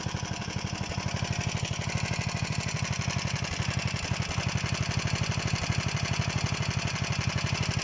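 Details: DM-1 single-cylinder engine after a major overhaul: even chug at about four beats a second, steady and knock-free; running healthily.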